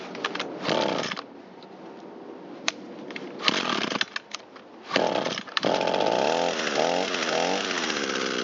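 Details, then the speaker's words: Echo SRM225 trimmer that sat a long time, after repair, warmed up and with the mixture leaned out: clean buzzing two-stroke with crisp throttle response, restarting on about half a pull. Running properly, ready for service. "Now that it's warmed up, we'll check the restart. Ignition on. Carburetor is responding nice. Starts on about half a pull."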